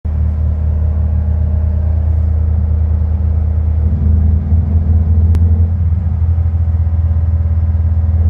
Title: VW bug hesitating and misfire